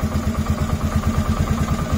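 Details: 2007 Polaris Sportsman 450 single after fuel pump replacement, fuel now flowing, tank low: steady, even thumping idle with regular low pulses, no misses or knocks; normal idle.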